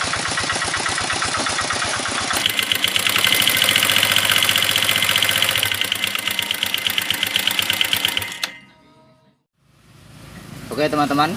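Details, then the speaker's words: Flood-damaged Minerva MX 150 before teardown, with rust marks in the cylinder liner at the ring position and the liner suspected unhoned: harsh, rapid metallic tapping, clicking and whining over a rough-running engine; piston slap. "ada suara tek tek tek tek tek ada suara cekrek ada suara seperti sing sing sing nya Nah segala macam suara ada"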